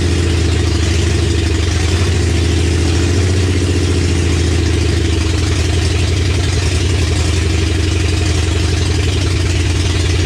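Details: 1965 Mercury Comet with 5.0L V8 and T5 5-speed on first start, open headers, timing just checked after a fuel leak: loud, uneven, lumpy idle from a vacuum leak, a plug missing on the back of the intake.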